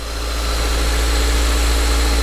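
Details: Older Mazda manual-transmission car at an auction yard with a strong clutch and recent front struts; the valve cover gasket is not leaking. Smooth, steady low hum at idle with no knocks, ticks or misses. Normal idle.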